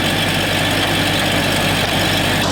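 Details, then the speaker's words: 1996 Jeep Cherokee XJ 4.0 straight-six after water pump replacement, just started: steady even idle, low constant hum, no knocks or misses; small exhaust leak noted, otherwise runs smooth; normal idle. "got a little exhaust Lake sounds like it's pretty normal but overall runs really pretty smooth"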